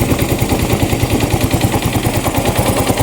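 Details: Yamaha Mio i 125 scooter idling rough with sharp, regular pops about three times a second, a misfire; it sometimes fails to start, smokes heavily from excess fuel pump pressure, and the O2 sensor voltage doesn't change, TPS out of adjustment.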